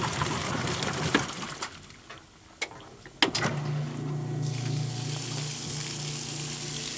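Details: Kenmore washer that stopped halfway through the wash cycle after sitting about six months; with the broken lid switch bypassed, it gives handling clicks, then a steady low pump hum and rushing water. Normal drain pump-out.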